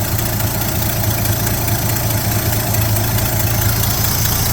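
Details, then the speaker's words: 1972 Chevy C10 pickup after new distributor, engine still cold, exhaust needing repair: low steady V8 idle with even beat, no ticking or knocking; normal idle. "Sounds good. Ooh, I need to watch out."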